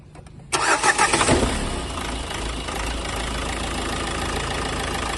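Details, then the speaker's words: Renault Duster 110 PS diesel after replacing faulty injectors 1 and 2 and clearing DTCs: short crank, fires quickly into an even idle with no misfire; now running cleanly. "பாருங்கள், நம்ம இந்த firing எதுவும் miss ஆகல. இப்போ எல்லாமே அந்த கம்ப்ளீட்டாக work பண்ணியாச்சு."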